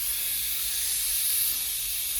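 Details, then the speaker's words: Old International winch truck, first start after sitting in woods, running on fresh gas: steady high hiss with no knocking as the air brake system builds pressure normally. "You can hear in here, it was building air pressure."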